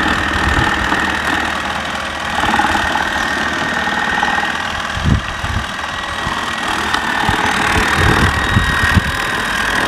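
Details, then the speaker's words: Mammotion Yuka 1500 robot mower while mowing: rough, uneven rattle and scattered dull thumps over its motor hum; the noise comes from the grass collection basket. "voilà alors elle fait du bruit quand même et tout simplement parce que c'est à cause du panier"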